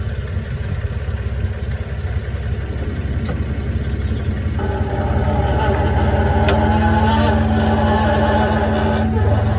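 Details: 2000 Toyota 4Runner idling: wavering, rising squeal-like groan when the steering wheel is turned.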